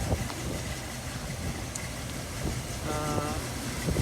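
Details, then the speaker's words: 1970 Ford Bronco, 5 L V8 with 3-speed manual, running about a minute: low, lumpy burble with a steady beat and no knocks or misses over outdoor background; idles healthily. "yeah runs great been running about what a minute or so you can just hear it runs good"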